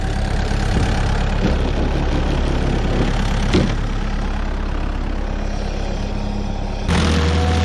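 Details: Rebuilt small single-cylinder stump grinder motor on its first willow-stump job settles into a steady, even thrum with no misses or knocks; running healthy. Oil left on the heat shield cover burnt off that day.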